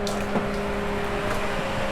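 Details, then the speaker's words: AU Falcon burnout car (Intech engine) with a newly wired cooling-fan override switch on ECU fan 1: an even whir with a steady low hum, no rattle or surging. The owner thinks the little fan came on, not the main fan. Normal cooling fan operation. "I now have fan on. Wait, I have the little fan on, I think."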